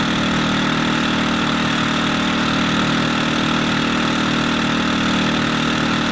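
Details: WEN inverter generator after cleaning the clogged main fuel jet and carburetor and installing the high altitude kit: engine holds an even, constant speed with no hunting or surging, normal running.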